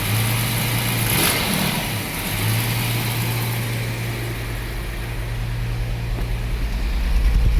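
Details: Jaguar XJ-S V12 HE, off the road almost 20 years: a low idle drone and a rev blip, running ragged and uneven, with a misfire mostly on B bank. Plug leads are confirmed seated; the owner suspects an injector, distributor, coil or amplifier.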